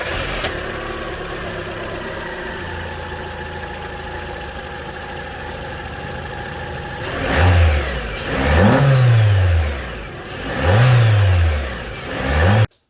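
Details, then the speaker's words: 2005 Peugeot 307 CC after induction kit install, replacing airbox and resonator: even steady idle, then three quick throttle blips climbing and falling cleanly; intake louder but engine runs healthy. "So what we're going to do now is start it up, see what it sounds like. So we've done the before, let's do the after."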